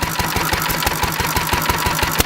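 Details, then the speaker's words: Antique stationary engine running on about 60% SeaFoam and 40% gasoline, fuel valve opened about twice the usual amount: sharp, regular firing knocks and pops over a thin, rattly note as the engine surges and hops; running lean. "it's actually just hopping again because it's lien is actually running decent when I open it up and I give it a whole bunch of seafoam oh yeah"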